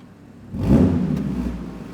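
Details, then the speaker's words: Audi S4 with a catback straight pipe and no back boxes, fitted temporarily: one quick rev with a deep, raspy exhaust bark that dies away fast; raspy straight-pipe exhaust. "anyway in case you ever want to know what a catback straight pipe would sound like on an S4 there you go"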